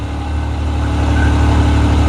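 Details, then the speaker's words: Yamaha YXZ1000R idling warm while fitting a fan reverse relay kit; radiator fans kick on automatically near 210°F, gauge 207 dropping to 194, with a steady airy whir over an even idle: normal fan operation. "so the fans just kicked on you can hear of fans just kicked on without us muching anything"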